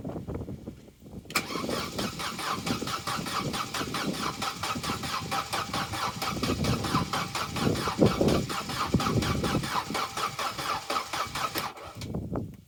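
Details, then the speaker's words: Vauxhall/Opel Corsa B that sat neglected 4-5 years, battery at 12.4 V: starter cranks about ten seconds unevenly, one slow compression then three quicker, spinning faster than before but never catches; uneven cranking, no start, cause unconfirmed. "no that's interesting because that sounds a little better it's still doing that thing sort of being slow and then doing the other three quickly but that does seem to be spinning faster"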